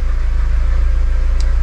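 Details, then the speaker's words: Audi TT Mk1 1.8T petrol engine after start, idling with a smooth, even low throb and no stumbles. Revs are stable and there is no engine management light. "we've got no engine management light which is a good thing and the revs are sitting nice and stable"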